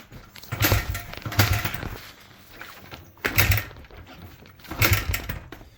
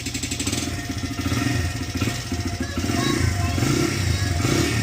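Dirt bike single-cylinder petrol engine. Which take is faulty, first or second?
first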